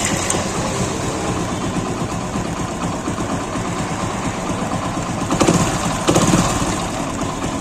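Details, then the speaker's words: Hero Splendor Pro single-cylinder idling smooth and even with no chain rattle after changing the defective timing-chain tensioner roller and its nut; the timing chain had been replaced earlier but the chain-like noise persisted until the roller was changed. "देखिए आवाज नहीं आ रही किन किना type की आ रही थी verse नहीं आ रही है"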